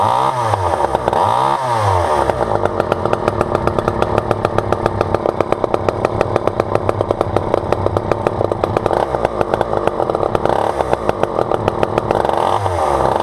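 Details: Vintage Poulan 2000 all-metal chainsaw, sat for years and case filled with water for weeks; two-stroke revs up to a fast steady buzz with even firing and drops back cleanly, runs fine.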